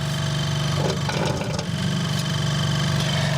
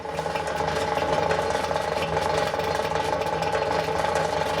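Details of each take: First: Vintage Westinghouse fridge after fitting homemade split rubber mounts with rubber washers under the compressor: even low hum with a steady buzz, no rattling against the frame; much quieter than before, normal compressor running. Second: Vintage Westinghouse fridge, rewired and running and getting cold: loud, steady droning hum with a buzzy rattle on top, clearly noticeable while running; compressor vibrating on worn mounts.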